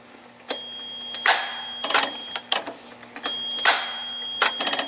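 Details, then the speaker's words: Forklift that will not start: sharp irregular clicks from the starter with no cranking and the engine never turns over; the starter is trying to move, while the gas solenoid plunger is under suspicion. "nothing that clicking sound that you hear it's actually from my starter so I see a bit closer see but it's trying to move"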